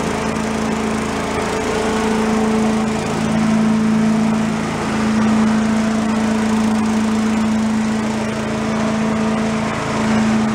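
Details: Commercial walk-behind leaf blower, bought not running with carburetor problems, set on the ground for an extended run to check smoke: high buzzy two-stroke drone holds steady pitch with slight rises and dips, no sputtering; normal running.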